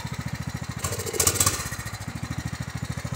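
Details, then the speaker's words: Small engine on a tractor with a faulty carburetor: slow, uneven chugging and stumbling, running rich from flooding; runs smooth with fuel shut off, sputters badly when fuel is turned back on; carburetor to be replaced. "So hear how it's sputtering? I shut the fuel off, it doesn't do that. Now you can hear it running smooth, but when I turn the fuel back on, it'll run terrible again."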